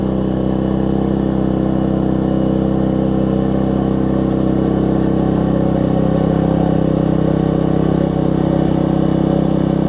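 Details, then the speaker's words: Troy-Bilt Tuffy rear-tine tiller, 4 hp Briggs single, after fitting replacement carburetor with linkage and spacer, quarter tank of gas: steady even beat around 150 per minute, no surging or stumbling; normal running after repair. "just put a little spacer on it it's working good so the first thing we'll start if it starts I'll be very happy as you can hear that's better"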